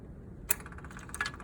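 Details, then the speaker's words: 1989 Honda Shadow VT1100C bobber with a new cheap small industrial-style fuel pump: a sharp click, then a fast, even, fine ticking carrying on steadily; normal fuel pump priming tick. "another new fuel pump which was a cheap one she does a bit of her"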